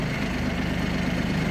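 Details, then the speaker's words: Kubota Aste A-13 Japanese mini tractor diesel, 756 engine hours, testing the hydraulic tilt with the tiller raised: a steady, even low idle holds without strain or stumble while it tilts both ways; the hydraulics work normally. "Ещё раз опускаем и немножко приподнимем для того, чтобы проверить гидронаклон. Итак, по одну сторону наклон. В другую сторону"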